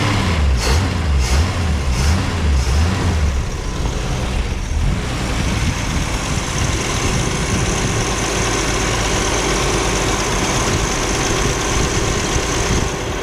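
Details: 1961 Ford Falcon station wagon, 170 ci straight-six, restarted during first attempts to get it running: steady, even idle with no misses or knocks, perhaps slightly fast. It is said to be running too lean, and a fuel filter and fuel leak need attention.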